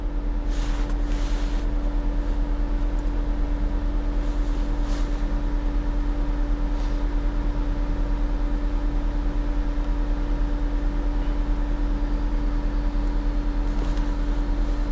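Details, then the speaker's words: 2024 or 2025 Mazda CX-90 plug-in hybrid, key on engine off after codes cleared: loud constant rushing drone, cooling fan stuck on high; ambient air and coolant temperature sensor circuit codes suspected as cause. "All right, let's see. Everything cleared now. But the fan is running at high speed."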